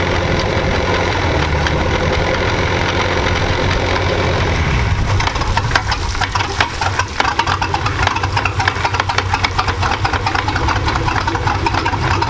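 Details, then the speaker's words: 1999 Chaparral 1930 SS boat, MerCruiser engine running at about 1,300 rpm with good oil pressure: steady idle, then irregular sharp clunks and rattles from the transom outdrive, as if not fully in gear; exhaust leak doubted, cause unconfirmed. "you hear that it's like some clunking noise it's almost like it's not going in the gear all the way you know"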